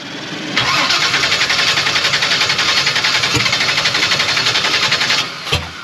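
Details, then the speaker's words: Blueprint 540 big-block Chevy in a C10, open headers, Holley 870 cfm Street Avenger, timing set to 14 degrees, idling about 1500 rpm at 185°; fast slightly uneven lope, note abruptly changes, engine shut off; heavy smoke from throttle plates, vapor lock suspected; sudden change in running. "it hold on something's changed yeah something hey hey don't leave the key"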